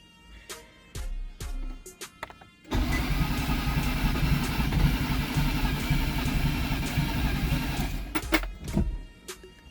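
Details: 2011 Nissan Teana after engine replacement (old engine needed camshaft), first start attempt with foot on brake; about three seconds of steady quick starter cranking, engine never fires; crank no start, owner suspects a connector left unplugged.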